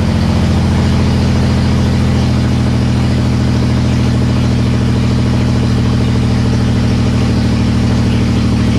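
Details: Nissan S13 with VQ35 engine swap, first start on its own power after fuel-related no-start: loud, raw, steady idle with an even deep pulse and no misses or knocks; normal idle, open headers.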